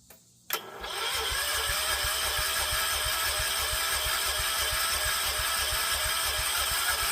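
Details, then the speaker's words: John Deere 314 garden tractor, older (maybe '80s), Kohler K321 single-cylinder after full engine rebuild: even starter chugging about three beats a second, no firing; cranks but won't start from fuel starvation, before swapping in a new carburetor. "Well, it will run. Got our cheapo Amazon carb in. Get this swapped out and hopefully hear it run and stay running."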